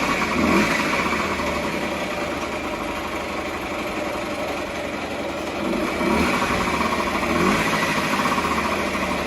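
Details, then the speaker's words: Honda Dio 27 two-stroke moped after gearbox (reducer) replacement, refitted with old piston rings, about 20 km ridden: even fast-idle buzz with slight occasional surge, no knocks or rattles; runs fine, piston replacement still advised. "работает принципе неплохо я уже ездил на нем где-то километров 20 проехал"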